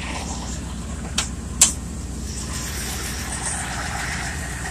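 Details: Cold start of a 1978 Chevrolet C10 stepside truck with a 307 engine (described as 307/350 from a 1971 Nova), after sitting a while in the garage: low, even V8 rumble with no knock or miss, a couple of handling clicks; normal idle.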